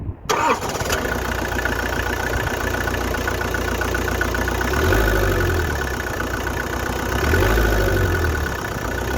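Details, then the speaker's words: 1993 Vauxhall Cavalier Mk3 1.7 indirect-injection turbo diesel: catches and settles into an uneven, lumpy idle with a wavering beat, smoothing out once revs rise; cause not found; rough idle. "you probably hear that and see in the camera idle it is quite rough as soon as you raise the revs it's lovely"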